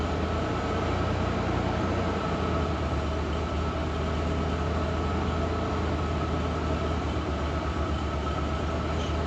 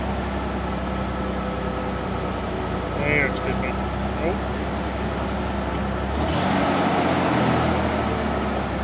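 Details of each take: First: Ford Bronco II after new spark plugs, plug wires and ignition coil: low steady idle dipping slightly then holding around 1000–1100 rpm, smooth with no misses; idle healthy, vacuum leak issues noted only at idle. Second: Ford Bronco II during warm-up, after new ignition coil and spark plugs, before new plug wires; owner suspects vacuum leaks: idle sags noticeably low and uneven, then recovers; it shouldn't dip that low.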